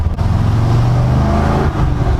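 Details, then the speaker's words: 1974 Corvette V8 on its first cruise after a carburetor tune, a couple hours after start-up, accelerating past about 3000 rpm: deep steady exhaust drone builds smoothly into a rasp, no misfire or stumble; runs cleanly and healthy. "soon as it gets in like the 3000 range the rasp comes out oh my god oh that sounds so good"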